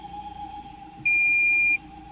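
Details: 2023/24 Fiat Cronos 1.3 with CVT automatic, 53,000 km, wheels off the ground, brake pressed, shifting into reverse/neutral/drive: steady mid-pitched whine over a low idle rumble, one short beep as gear is selected; strange transmission noise, cause not confirmed.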